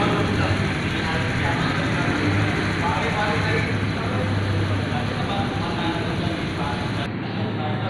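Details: Fuel-injected Honda Beat scooter that had been revving up on its own, started after a part was turned three to three and a half turns: steady, even low putter with no hunting or surging, a clean normal idle.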